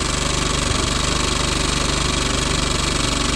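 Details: Motorcycle with stock exhaust at idle: a loud, fast, even clatter of about three beats a second over a busy idle. It grew louder after riding downhill; the rider suspects heavy loading the previous night. Source unconfirmed.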